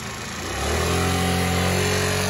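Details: 2008 scooter that sat for two years: brief stumble, then a steady, even idle, smooth and regular with no knocks or misses; running healthy.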